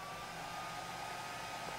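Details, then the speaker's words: Dell Inspiron 8000-series laptop with hot-running 1 GHz Coppermine Pentium III: one of its two cooling fans set to full speed gives a steady airy rush with a faint high tone, like a hairdryer. "Yes, that sounds like a hairdryer."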